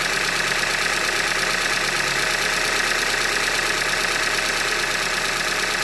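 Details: 2015 Hyundai Elantra Limited, 91,000 km, idling: sharp, regular metallic knocking about three per second over the idle, bottom-end knock from short block failure, a Hyundai manufacturing defect.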